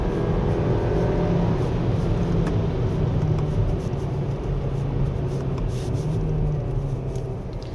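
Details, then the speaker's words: 2024 Hyundai Kona 1.6 turbo gasoline 2WD on a winding road: rough gravelly drone as revs climb under road noise; driver recalls the same engine in the DN8 Sonata and K5 not making this sound, unsure; cause not pinned down. "그러니까 이렇게 회전수를 높여갈 때 이 지금 소리 있잖아요. 이런 소리가 예전에 이 같은 엔진이 들어간 그 DN8 소나타나 아니면은 K5에서는 나지 않았던 것 같은데요."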